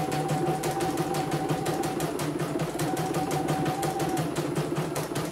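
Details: CNY embroidery machine (M21), sent from Mojokerto in a fully jammed state with heavy rotation, test run after servicing before shipping. Even stitching clatter at about three strokes per second with a light steady whir and no catching: runs smoothly, ready to ship.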